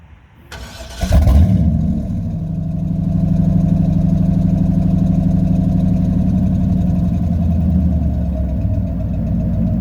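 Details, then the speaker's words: 1997 Chevy 454 big block V8 in a 3500 4x4, restarted once up to temperature after a 21°F cold start. It catches quickly and settles into an even, deep idle with a couple of smooth revs; healthy. "we'll we'll crank it back up and uh give you a couple revs on the way out uh now that it's up to temperature"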